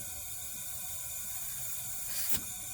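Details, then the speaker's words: 1997 Suzuki GSX-R750 leak-down test, engine off: steady airy hiss of pressure continuously bleeding out through the intake; number one cylinder intake valves not sealing, causing low compression and no start. "So, that tells me that uh the intake valves on number one are not sealing."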